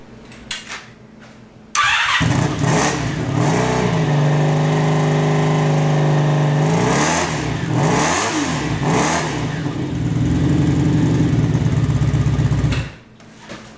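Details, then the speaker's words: Sabre cafe motorcycle after fitting a new single-pipe exhaust repacked with fiberglass: starts, idles evenly and takes clean blips with a subdued, more tolerable exhaust note. The fiberglass later clogged the exhaust on the first test ride. "definitely a lot more tolerable I think it's time to take it out for a little test drive"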